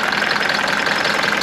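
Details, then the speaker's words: Mercedes W201 190D diesel at idle after a new engine hood insulating mat was fitted: fast, tinny rattle on top, something loose buzzing in the engine bay; owner suspects a part he can tighten or replace with a spare, not confirmed. "Oh, this one is cracking away. And I think I have one of those in the basement. And I wonder if I try and tighten that nut."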